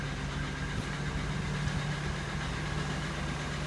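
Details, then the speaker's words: 1997 Oldsmobile Cutlass Supreme SL, engine overheated many times; slightly uneven lumpy idle with faint tapping; only code was cylinder 6 not firing correctly, owner suspects bad head valve at number 6, engine to be replaced; engine misfire. "Probably about, the only code was there was something wrong with number 6. Wasn't firing correctly. The head probably got bad valve right there on number 6."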